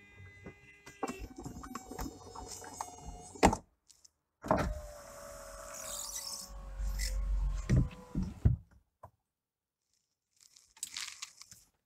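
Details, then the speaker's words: Porsche 911 996 phase 1 Cabriolet, top closing: a shrill, steady, alarming high whine from the convertible-top hydraulic pump as the roof creeps slowly. The pump is nearly dry of hydraulic oil; risks pump or motor damage if ignored. "Comme on a pu entendre, le bruit est plutôt très alarmant. Une situation comme celle-là, ne faut surtout pas la laisser perdurer parce que vous pouvez très certainement provoquer de gros problèmes de pompe, de moteur ou autre encore."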